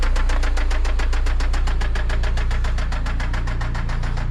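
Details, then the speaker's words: Toyota MR2 SW20 with 5S-FE engine on its final drive before a 3S-GTE swap: heavy, even knock about three times a second over a rough idle; worn rod bearing, rod knock. "All right, let's do one more walk around. Check out that sweet rod knocking 5sfe."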